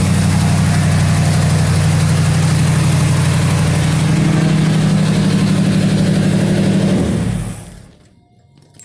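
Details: 1977 Mercury Marquis 400M V8 just after tune-up (new plugs and wires, distributor corrosion cleaned, valve cover gasket redone): steady even low rumble with no misses, ticks or knocks for several seconds before shutdown; healthy idle.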